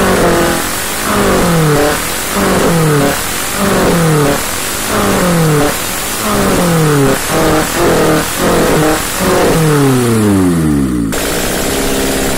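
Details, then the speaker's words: First start after a head gasket repair, with oil and coolant filled: the engine is blipped repeatedly from idle, its pitch rising and falling cleanly without knocks or misses. No oil lights and nothing leaking; it sounds healthy. "no oil lights nothing running down I think it's good"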